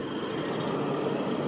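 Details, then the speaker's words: 1995 Mercedes S600 coupe V12 after exhaust noise repair: even, steady quiet idle hum with no puffing, ticking or exhaust leak chuff, tips not twitching, vapors normal; sounds like a proper V12. "it runs nice and quiet now. Yeah. And see the exhaust tips. They're not twitching or anything."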